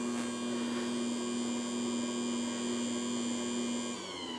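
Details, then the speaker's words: Cheap Joydeem dough mixer, bread-maker style, on mix setting running empty with no dough to check power draw: steady, even motor hum with a clean tone, then cuts off; healthy unloaded running. "I'll turn it on with nothing in it, and we'll take a look at the power that it uses just to run without any dough."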